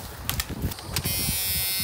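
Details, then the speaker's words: Old Dodge Dakota in Florida, key turned on: a steady high electric buzz holds evenly, the key-on warning buzzer working, so battery power is present; fuel pressure later found to be zero. "buzzer works"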